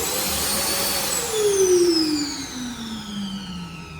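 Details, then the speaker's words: Rough U2 hand dryer motor: a high whine drops steadily in pitch as it runs down, with a coarse rasping rush over it. Sounds really bad, not how it should sound. Rough motor noise, cause unconfirmed. "oh this fishy now sounds really bad listen to"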